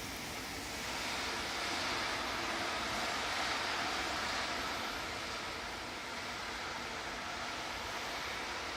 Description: A plastic belly pan came loose and was dragging the ground. Once it was removed, all was well.